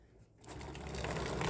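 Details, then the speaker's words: New Ray 50 Turbo scooter with 2,000 km: after lubricating the dry, slack drive chain, it spins with a smooth, even whir, no grinding or rattling; the chain noise is gone. "Não tem mais barulho. Então só a corrente ressecada, minha gente."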